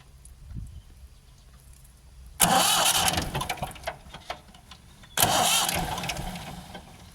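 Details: Ford 4600 tractor diesel after fitting a service-exchange injection pump, with the injector pipes cracked open; two long bursts of starter cranking with no firing. Cranking but no start, because of air in the fuel lines.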